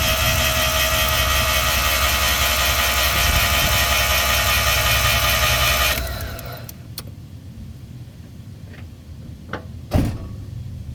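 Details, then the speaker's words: Mazda RX-7 barn find rotary, apex seals suspected sticking, popped slightly on ether: steady even cranking about 2.5 beats a second, soft and uneven, no firing; seems to have no real compression, cause unconfirmed. "But I mean, it does sound like the thing's just got no real compression."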